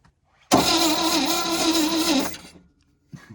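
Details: 1971 International 1110 stepside pickup from a salvage yard, long sitting: starter spins engine steadily about two seconds, no firing, no intake vacuum felt; crank no-start.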